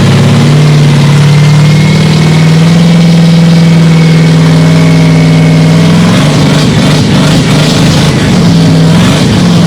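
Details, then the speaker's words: LY5 5.3 iron-block LS truck engine with Weiand 177 blower on a custom manifold adapter, just running after swapping cam wires: steady raised idle that roughens and wavers; intake leak at a gapped rear blower gasket causing the high idle. "well there's obviously an intake leak i think i can see it right at the back there look at that gasket"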